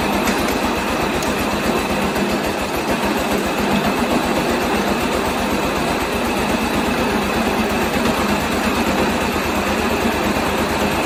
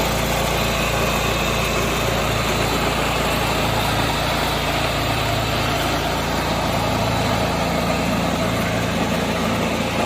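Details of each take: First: 1986 John Deere 216 lawn tractor single-cylinder after carb cleaning and PTO belt adjustment, idling without load: quick even buzzy rattle on every firing pulse; both loose side panels vibrating against frame. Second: 1986 John Deere 216 lawn tractor after carburettor cleaning and PTO adjustment, driven down the driveway: small single-cylinder engine holds a steady, even drone with no misses, surging or knocks.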